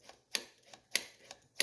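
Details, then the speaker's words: Cheap Chinese Niche carburetor fitted to a small Honda ATC engine, throttle slide test after installing slide with its dash aligned to the nipple: crisp light taps about every half second as the slide drops shut; returns freely, installed correctly. "You can hear it tap, and if you look in the throat, you'll see the slide going up and down. That's very important."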